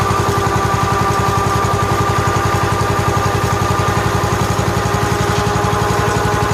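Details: 1969 John Deere 140 H1 garden tractor, cold start after fitting a brand-new carburetor, oil somewhat black: quick even exhaust beat about four pulses a second, no misses; runs well, quiet and smooth.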